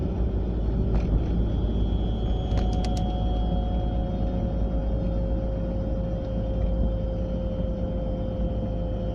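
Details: A 940 driving at about 30–40 mph: a steady low road rumble with a thin constant whine heard from the passenger side; the source is not identified.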